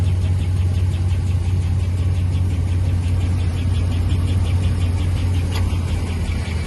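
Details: 5.7 HEMI V8 idling; light, even tick about two per second over steady idle, top-end ticking noise, source not yet pinned down.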